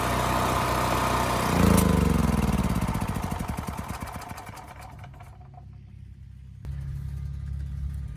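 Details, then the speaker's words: Westinghouse 7,000-watt electric-start generator, single-cylinder engine, after carburetor cleaning and fresh fuel: steady, even putter settling lower with no misses or stumbles. It smoothed right out; fault possibly bad fuel, pilot jet or emulsion tube. "The engine smoothed right out, no issues. So yeah, it may have been as simple as bad fuel or that pilot jet or the emulsion tube."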